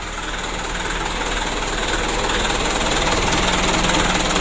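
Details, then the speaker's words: Mitsubishi Canter diesel after injection pump plunger replacement and pump adjustment: steady, even idle with regular light clatter, about four beats a second, no misses; idling properly. "nanti kita lempengan sedikit lagi untuk rpm nya ini sudah bagus 600 kita coba lagi ya alhamdulillah mudah-mudahan aman dan lancar ya"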